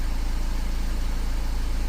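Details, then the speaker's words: 2015 VW Amarok diesel, after repairs for hard start and P0016: starts in one bounce without glow plugs, even regular diesel clatter at steady idle, no stumble; no check engine light or fault codes. "fell up in one bounce. We don't got no check engine light on going."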